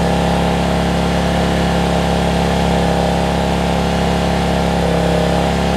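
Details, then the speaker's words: Generac 7500EXL generator, repaired after running 3–5 seconds then shutting down from a bad low-oil switch (now unplugged). Steady, hard, high-pitched drone with no hunting. Engine overspeed, reading 130 against 120, so the throttle speed was backed off. "oh so yeah 1 30 she's running a little fast 120."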